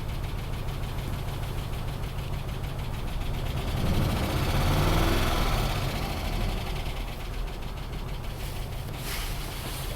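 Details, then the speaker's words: 2005 Dodge Ram 2500 5.7 Hemi V8, almost 300,000 miles, at idle: uneven lumpy idle with a light tapping at a few beats per second; dead cylinder with suspected low compression plus loud tapping under hood, hard faults but no misfire counts. "so those are hard faults I can't believe this thing is not uh throwing any misfire counts"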